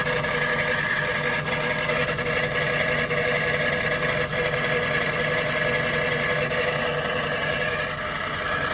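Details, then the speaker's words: Jaguar XK8 V8 at idle, heard from under the car near the transmission: loose metallic chatter gets tighter and louder once the A/C clutch engages; source not pinned, accessories or transmission suspected. "I've just turned the AC on and listen to that. What? It's much worse."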